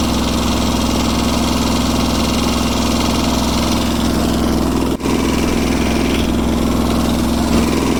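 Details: Kubota G4200 garden tractor after restoration, first start: steady, even idle with soft regular beat and no knocks or misses; engine running healthy.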